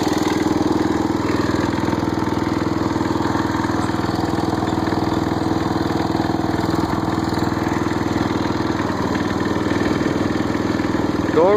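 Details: Snapper rear-engine rider thought seized, actually a stuck starter gear, started on a charged battery: even, steady small-engine beat at about four pulses a second with no misses or knocks; runs normally.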